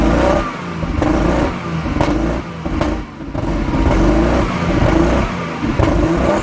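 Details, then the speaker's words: 1997 Jaguar XJ6 X300 3.2 manual that spluttered to a halt, just after crankshaft position sensor replaced: catches and revs unevenly, surging and lumpy; owner suspects excess fuel from repeated start attempts. "so it sounds like the engine is now running although it sounds very lumpy indeed"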